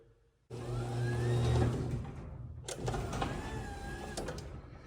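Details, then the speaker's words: Craftsman garage door opener just after a latch and slide assembly repair: the motor hums, cuts out after about 1.5 s, restarts briefly, then stops, and the door stalls short of closing. Owner suspects an internal gear has popped; not confirmed. "But watch this, it'll get stuck here. The door itself gets stuck and will stop."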